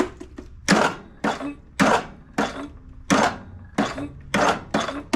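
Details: Briggs and Stratton Intek single-cylinder riding mower, fully charged battery, connections and grounds checked tight, solenoid previously replaced: repeated sharp clicks about every second, flywheel barely moves, no cranking; owner next plans valve adjustment, suspecting compression release, cause unconfirmed.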